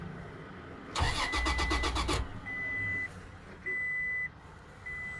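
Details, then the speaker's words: 2007 Toyota Tacoma won't start: starter spins the engine strongly for about a second but never catches, then dash chimes; relays and fuses OK, direct-powered test confirmed failed fuel pump. "Aan? Nagka-crank lang. Nagka-crank lang siya."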